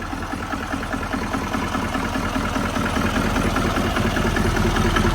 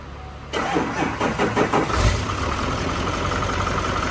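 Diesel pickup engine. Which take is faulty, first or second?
first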